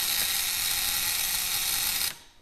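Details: 1901 Curved Dash Oldsmobile ignition coil, adjusted to about 1.2 A draw: steady high-pitched even buzz for two seconds then clean cut-off, coil vibrating and firing properly.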